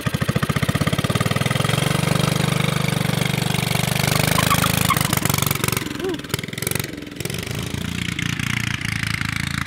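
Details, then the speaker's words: Subaru Robin 9hp engine on a Yerf Dog off-road go-kart with a new 26mm Mikuni carburetor, warming up on choke: it revs then idles unevenly with a loping, hunting beat, spinning and sputtering as if lean. Fix: reposition the needle e-clip for more fuel. Rough idle. "so it's spinning and sputtering acting like it's a lean"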